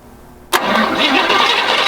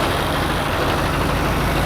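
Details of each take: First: 1953 GMC pickup with a hot-wired ignition, first start attempt during bodywork: two bursts of steady cranking at about three to four turns a second with no firing; suspected battery too low on charge. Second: 1953 GMC pickup: steady even low rumble with no knocks, misses or surges; engine idles smoothly with about 50 psi oil pressure and truck moves under its own power.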